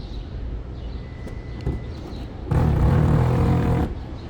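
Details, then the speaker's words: A rough, low grinding groan runs about a second and a half as a Toyota RAV4 power liftgate is opened remotely: a worn liftgate strut with play in it. "All right. As you can hear, this is coming from the struts. I think this is worn."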